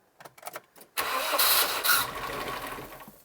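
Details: Barn-find one-owner 1990s Nissan Primera GT, SR20 engine, first start after storage, fuel pump condition unknown: short quiet clatter, then it catches instantly and settles into a steady, even run; a clean, healthy first start.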